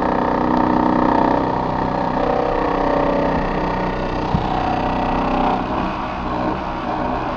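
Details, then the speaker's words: Older Trane XV90 two-stage furnace, started by raising the thermostat: its ECM-controlled blower motor gives a loud droning hum with a rough, wavering edge; noisy, unhappy ECM blower motor. "okay turn the thermostat up i'm going to go ahead and press this button to fire it up that's not a happy ecm motor"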